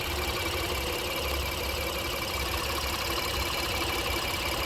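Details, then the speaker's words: 2018 Honda Pilot, 104,000 miles, after timing belt, water pump and spark plug replacement: steady, even idle with a smooth low hum and no knocks or ticks; no leaks after a 10-mile test drive. "sounds like a regular Honda nothing leaking out the bottom of it after a 10 mile test drive good to go"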